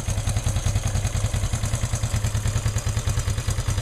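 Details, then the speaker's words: Honda CL360 twin motorcycle on cold start with choke on: even, quick low putter at a steady fast idle, no knocks or misses, warming up. Normal cold idle. "so this is a cold start it's getting warm already but I can I can hang on to it for a while so cold engine"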